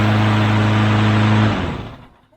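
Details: Push mower (bagger with breather tube mod) that started but wouldn't stay running, after carburetor cleaning and bowl debris removal: steady mid-pitched drone holds even for a second and a half, then winds down cleanly as the engine stops; fixed.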